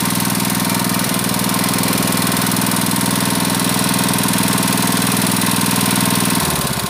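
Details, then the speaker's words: Honda GX160 5.5 hp water pump engine, unused a year, with black spark plug and frequent stalling, plug cleaned: steady, even single-cylinder beat that eases down near the end as the governor adjusts engine speed; sounds healthy. "It indicates that the governor is still functioning So it's a function the governor is like that He adjusts the engine speed as needed"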